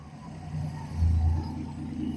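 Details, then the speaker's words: Dart, carbureted, warmed up, with a possible exhaust leak under the car and the choke thermostat not yet replaced; low, soft, even idle with a gentle swell and no tapping. Runs smooth, quiet and normal. "I mean, just listen to that thing. Curve. Smooth. Quiet."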